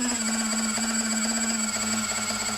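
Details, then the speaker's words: Eachine AR Wing Pro brushless motor with Turnigy Trust 55A ESC, prop on, around 60% throttle: steady whine with a rough, gritty stutter; ESC desyncs under load, judged faulty. "Oh, it's the ESC. That is a bad ESC. Holy moly. Turnigy Trust. That sounds like a bad ESC, right?"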